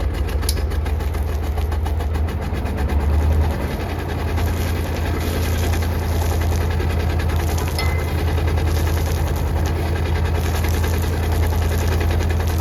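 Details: Perkins AA35001 marine diesel on a sailboat, first start after almost a year, fuel pump primed, cooling water flowing, some smoke noted: a deep, steady diesel thrum at an even idle with no knocks or misses; normal idle.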